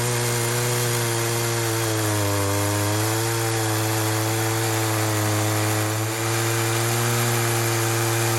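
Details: Poulan 2075C chainsaw (believed 32cc, 16-inch bar, old safety chain) after carb mod slotting splined adjuster knobs, test cut after cold start at about 15°F; high steady two-stroke scream sags slightly in cut, recovers cleanly; normal cutting.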